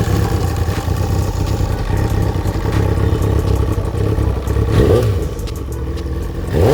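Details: Kawasaki ZXR 750 four-cylinder revving: a rattly clatter under the note rises with the revs, a knocking engine suspected to be from a damaged bearing.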